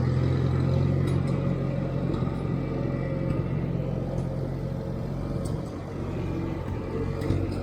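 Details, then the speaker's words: 1958 Farmall 350 tractor driving around the farm after carburetor and fuel-tank flow fix: low steady rumble pulling evenly, no misses or surging; owner pleased with how it sounds. "knock on wood I'm very pleased with what I'm seeing and hearing on this Farm"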